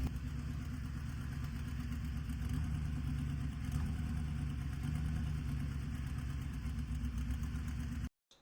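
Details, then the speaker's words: 1963 Chevy C10 small-block V8 after the exhaust was essentially completed. A deep, even burble holds a steady idle with no hunting, much quieter than before. Normal idle. "So, that thing sounds incredible. Um, a lot better than it did hours ago when it was just really loud."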